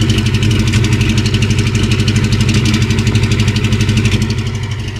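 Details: 1988 Ford Mustang after engine pull and pressure wash: moisture and corrosion found in distributor, cap and rotor; after drying, retiming and coolant bleed, steady low idle still lopes with stumbles, a remaining misfire. Owner suspects cap/rotor or distributor needs replacing.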